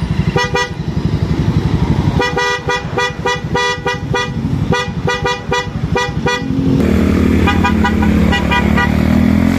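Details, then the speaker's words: Loud snail horn newly installed on a motorcycle via horn relay, wired direct to the battery, after an earlier weak-battery failure: loud, clear quick toots then one long steady blare over the idling bike; horn works properly. "So ngayon, ito ipapadinig ko sa inyo yung sound check na tunog ng ating busina dito sa mismong install ng ating unit, na ito yung busina na nakabit dito sa motor na to."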